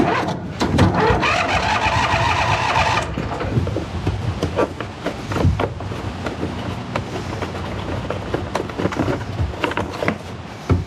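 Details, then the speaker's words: 2008 John Deere Z425 zero-turn mower after draining old fuel, with a new fuel filter and battery. Long cranking with uneven chugging that never catches. There is no fuel reaching the engine until the fuel system is bled. "Any fuel in it now? No fuel. Shoot."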